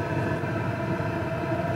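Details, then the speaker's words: PH21A 2 kW 12 V diesel parking air heater in power mode set to 2, high heat: steady, even blower roar with a low rumble underneath, no surging or rattles; normal running. "if we prefer we can run that in high heat turn it up to two and it's going to run in this higher heat mode that's ideal for cab application"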